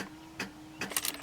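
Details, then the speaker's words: 2004 Cadillac DeVille Northstar V8, battery reading 12.6 volts, lights and horn work: quick dry rapid clicks with no cranking or firing; owner doubts the battery, cause not confirmed. "got 12.6 volts but every time you go to start the car i'm gonna show you guys exactly what happens all you hear is click click click click click"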